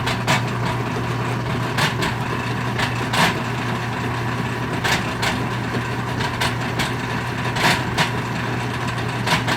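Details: Whirlpool direct drive washer, reassembled after the drain system was cleaned: it spins but won't drain. A steady low motor drone with sharp irregular pops and cracks every second or so; grinding and popping, cause undetermined.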